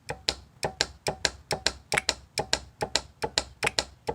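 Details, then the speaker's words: Chevrolet Malibu with P0016/P0017 codes, cam phaser solenoids powered directly: sharp metallic clicks in quick pairs, the intake solenoid louder and rattly from a loose internal piece; exhaust solenoid measures 13.3 ohms, intake about 12.1. "the intake side the one that was rattling uh it does seem to be a little bit louder which makes sense the piece is rattling so of course when it actually it's just gonna sound a little bit louder"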